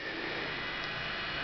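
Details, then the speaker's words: EV switched back on after a 1000 A shunt was swapped for a new one on the JLD404 meter: steady even hiss with a faint high tone as the DC-DC converter comes on; normal converter noise. "Turn it back on. Hear the wonderful hiss of the DC to DC converter come back on."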